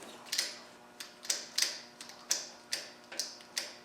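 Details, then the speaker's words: Land Rover 200/300Tdi on a makeshift starter switch: sharp uneven clicks about twice a second from the injector pump solenoid while the starter does nothing and won't crank; starter to be removed and inspected. "Now, the clicking you can hear is a solenoid on the injector pump, but this has got nothing."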